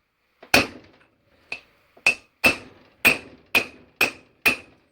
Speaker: did you hear the noise change a different tone so you know suited so there we go that's the other one seated in all seated in nicely